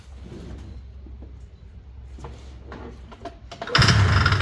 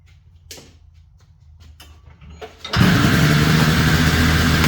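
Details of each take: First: Ski-Doo 377 snowmobile found sitting in a field, first pull-start attempt after cleanup, before fuel system work: quiet pulling then one short loud burst, fires under a second and dies; brief firing, not running. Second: Ski-Doo 377 snowmobile found in a field, after repair: a few quiet pulls, then it catches and settles into a steady, even two-stroke buzz with no misses; runs healthy.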